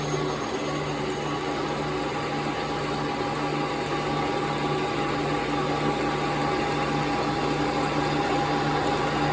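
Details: 1930s 3A Brown & Sharpe universal mill, 6-inch 42-tooth arbor cutter at 105 rpm and 16 in/min feed, milling a 5 mm by 3 mm slot in delrin: smooth drone, low hum, soft cutting hiss, no chatter. Normal cut.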